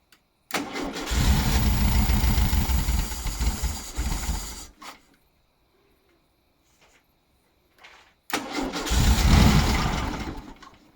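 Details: 1976 fuel-injected USA-model VW Beetle, injectors tested and cleaned: the starter churns about four beats a second for several seconds, stops and cranks again, never firing. Owner says it runs with the air-flow sensor popped out but then has no throttle.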